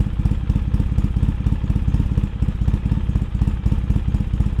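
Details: 2003 Polaris Sportsman 700 Twin ATV after Big Gun exhaust and Dynojet carburetor jet kit, first start on choke: deep, loud, lumpy exhaust thump at a quick even beat, no knocking or rattles; engine running healthy.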